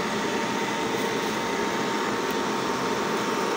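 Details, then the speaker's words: Hair dryer, previously dead, after repair where the cause was a detached wire: steady, even fan rush with a faint constant motor whine, no rattles or cut-outs; now runs normally. "Alhamdulillah bolur untuk ha drer sudah bisa Nal kembali ya atau sudah bisa dinyalakan lagi ya"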